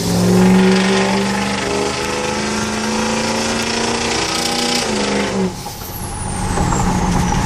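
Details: 2003 Powerstroke diesel: loud high turbo whistle riding over the diesel rumble, rising and falling with throttle; insanely loud but healthy turbo spool.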